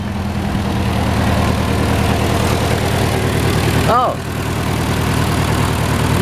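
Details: Datsun B210 idling in neutral after rusty fuel filter replaced. Even, steady low rumble, no misses or exhaust leak; much quieter than before.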